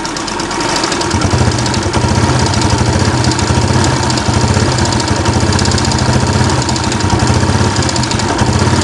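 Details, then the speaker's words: Yamaha Jupiter Z1 engine idling, heard loudest near the tensioner: fast steady metallic knocking from a slack timing chain slapping its tensioner. "tutup yang itu memang bunyinya tuh paling jelas disini ketukan antara rantai timing dan ticketing sama Tensioner ini"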